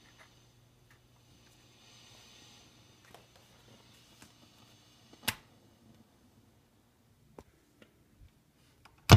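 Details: Fender Deluxe Reverb reissue amp: sharp irregular pops and crackles through quiet hum at random intervals, unaffected by volume setting; intermittent crackling.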